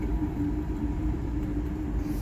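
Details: 20 horsepower Carrier rooftop unit blower motor running: steady low hum with a rough, uneven rumble from a failing rear bearing, later replaced leaving it whisper quiet.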